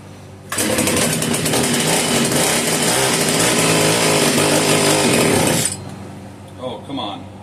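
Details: Italian-made Castor 330 Antivib (rebranded Alpina) chainsaw, tank over half full, choke hard to engage: fires and screams at high revs about five seconds, then cuts out abruptly; owner suspects rock-hard carburetor diaphragm starving fuel.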